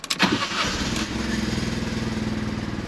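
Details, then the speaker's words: Fiat 500 TwinAir replacement engine restarted after clearing stored fuel pump relay and spark plug anti-fouling fault codes. Brief starter whirr, then it catches at once and settles into an even, pulsing idle with no fault codes returning; normal start. "fires straight back up nicely okay we've got the light back there's no more fault codes"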